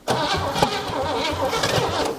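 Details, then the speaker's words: 1957 Chevy V8 off the road since 1979, after spark restored with gas poured in: starter cranks and the engine catches with uneven, lumpy firing for a couple of seconds; it will run, justifying an intake swap. "I that sounds like a run thing doesn't it and that's what we needed to justify hey let's go ahead and change the intake"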